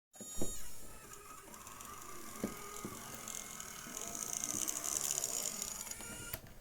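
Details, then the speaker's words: Graham Farish N gauge Class 4F locomotive with original motor, before coreless motor fit: steady fine buzz with faint high whine and light ticks, attributed to the controller's PWM signal vibrating the motor, amplified by the shell. "which is probably coming from the controller, to be honest. Well, definitely coming from the controller. It sends a PWM signal to the motor and it vibrates it. That's what that noise is."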